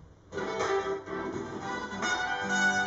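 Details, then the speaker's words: JBL Flip Bluetooth speaker (the strongest of those tested) streaming from an iPad at distance: music cuts out briefly about once a second then resumes; Bluetooth audio skipping dropouts. "yeah this one is that's the strongest yeah you hear it skip"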